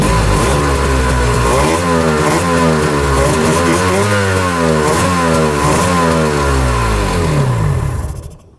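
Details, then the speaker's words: 1995 Tigershark jet ski two-stroke, revived after 20 years unrun, running on land without choke: a raspy note revs up and down cleanly and picks up smoothly, then dies at shutoff; normal running. "It's running pretty good. That's without choke."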